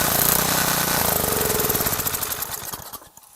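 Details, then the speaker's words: Garage-sale gas edger after carburetor cleaned and refitted, choke on: small engine chatters unevenly around four beats a second then fades, still hunting; fuel-air mixture screw found turned all the way in, being backed out. "Choke is on. Yeah, it's still searching."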